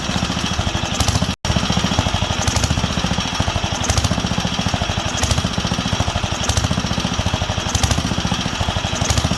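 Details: Wisconsin AENL single-cylinder barn-find engine on its first run in 20+ years, after restoring spark and cleaning the carb. Firing swells and sags about every 1.5 s. Surging; owner wonders about a failing condenser but believes it is fuel-related, as cutting fuel worsens it.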